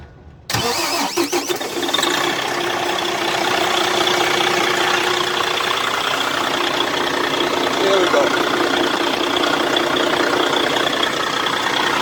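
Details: Freightliner Cascadia diesel truck with a faulty starter and no crank on the key: a brief crank, then the engine catches within a second into a steady rattling idle, started by bridging the two starter solenoid screws with a screwdriver; check-engine light on, owner says DPF needs cleaning.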